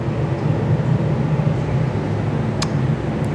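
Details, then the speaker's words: 1972 VW Karmann Ghia with a non-original flat-four, around 1970 H-block, low even idle with a steady beat and no knocks or rattles. It sounds healthy though it looks neglected. "You can tell it hasn't been, like I said, the engine sounds good, it sounds healthy, but it does not look like it's been a loved engine."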